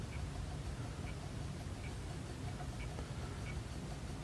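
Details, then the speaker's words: Fisher FVH 4901 VCR, slow head drum motor with slow, jerky capstan and belts swapped to 1mm: faint, even clicks about every 0.7 s under a low hum as the servo hunts robotically; owner suspects leaky sample-and-hold capacitors. "see how that Servo is moving kind of robotically let me try to okay so it's not doing what it should be doing"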